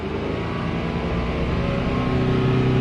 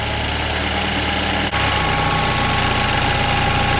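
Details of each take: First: BMW 328i F30 N20 engine after oil filter housing gasket replacement and cooling system bleed, warmed up before the oil level measurement: even, steady warm idle with smooth low hum, no ticking or whine; normal warm idle. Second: BMW 328i F30 N20 engine, first start after oil filter housing gasket replacement and coolant bleed: rough uneven grumble with faint rapid rattle settling partway; alternator grumbling, owner suspects coolant got into it; cleared up.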